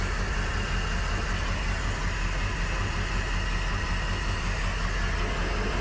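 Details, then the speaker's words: Crusader 8.1 Captain's Choice marine V8, running rough and low rpm: ignition coil drop test at idle, unplugging cylinder 7 coil gives no change in uneven rumble; cylinder 7 dead. "when you get to cylinder number seven which we'll do here in a second we found that there was really no change"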